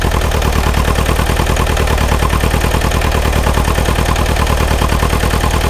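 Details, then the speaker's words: Bobcat T595 skid steer, cold diesel just started after a frozen no-start and flooded cylinders: uneven, lumpy chugging idle with smoke, running on only two to three cylinders, misfiring while warming. "She's chugging, but it's smoking. We really shouldn't see any smoke coming out of it, but it's only running on 1 or 2 cylinders at the moment."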